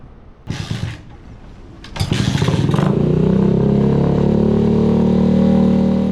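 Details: Restored Honda CG125 street scrambler first fire-up: after a couple of attempts it catches and settles into a steady, even single-cylinder putter with no knocks or misses; healthy.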